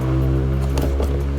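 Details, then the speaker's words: Subwoofer: deep bass notes full and steady with no crackle, rattle or buzz; normal speaker output. "Ya, kami sudah sedikit Bersih, kan? Tidak ada suara berderak."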